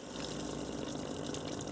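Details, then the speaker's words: Fluval 106/206/306/406 canister filter running during priming, burped to dislodge trapped air: steady watery gurgling and rushing as air escapes, repeated with shaking for about 10 minutes. Normal air release during filter priming. "If you do get air trapped in there, sometimes it's a good thing to burp your filter, which is basically just to do that. And you can hear the noise that that's made. So that's just dislodging any trapped air within the filter."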